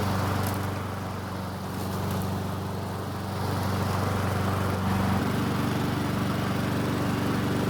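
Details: Free Honda walk-behind mower after no-start repair, fresh 100% ethanol-free gasoline, started on second rope pull without priming; small single-cylinder engine puttering at steady even beat, no misses or surging; normal running after repair.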